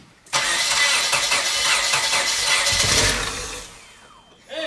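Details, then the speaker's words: Engine cranks steadily about three seconds with no catch; tank completely out of gas, not enough fuel to reach the lines, so crank no-start from running out of fuel. "there's no fuel start it's completely out of gas you still have some not enough to probably make any lines"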